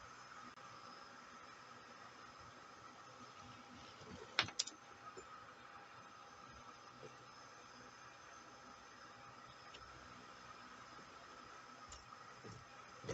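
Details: VEVOR 5.5 W CNC laser engraver just switched on and connected to LaserGRBL software: soft steady fan hiss with a couple of stray clicks; normal cooling fan operation.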